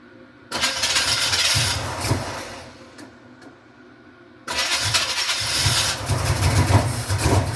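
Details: 1986 Camaro Z28 350 small-block V8, previously backfiring for the last owner, run briefly with no coolant and a dripping fuel line: catches, falters, restarts and holds a loud even run with some smoke, no knock or misfire; sounds healthy.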